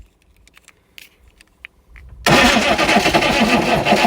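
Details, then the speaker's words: Chevy 6.5 turbo diesel after sitting 5 years dead, hot-wired with starting fluid, booster unhooked: loud rough cranking at about four beats a second, smoking but never catching into an idle; cranks, no start. "Give her a good lick. And try it. She wants to. She's smoking. She's making smoke. It's a good thing."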